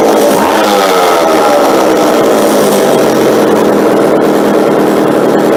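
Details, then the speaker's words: McCulloch chainsaw during a tune-up: the small two-stroke buzzes at a steady idle, its pitch settling and holding without dying or hunting. Normal idle. "when I pull it here now it'll actually just stay idle"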